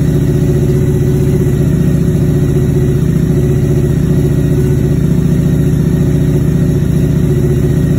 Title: High idle Vrod